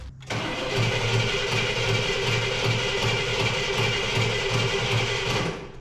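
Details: 1968 Cadillac Eldorado that sat over 20 years cranks for about five seconds in a steady, uneven rhythm without catching, with choke on, fresh gas and a hot shot of fuel; spark present, points not yet cleaned.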